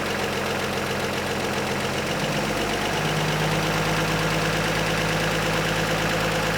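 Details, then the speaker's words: Old Chevy truck after HEI distributor swap and oil pressure scare: fast idle around 1100 rpm, headlights on, with an uneven stumbling miss in the drone; not charging at idle, owner wonders if low idle voltage causes the new misfire. "So, it is charging. It's just not charging at a low RPM anymore. It's also got a weird miss. Hear it now. Is that because it has low voltage at idle?"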